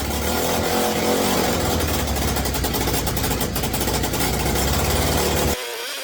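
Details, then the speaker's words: Mini bike build, small single-cylinder engine on its first start after wiring and throttle-cable hookup, running smoky. Steady fast buzzing that never drops to a slow idle: idling too high, and the idle still needs adjusting. "I got to figure out how to adjust the idle on it that's what I got to do but it it started"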